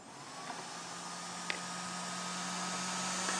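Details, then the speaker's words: 3D-printed Open RC F1 car electronics first power-up after binding transmitter and receiver: thin steady high whine with rising hiss, the small cooling fan spinning very fast, which the builder finds a little worrisome. "fan spins pretty pretty fast which is little worrisome we'll see how that goes"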